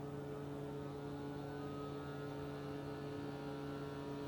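A steady low hum with a few fixed tones and no rhythm or knocking; the unit drones constantly, cause not pinned down. Cause suspected, not confirmed.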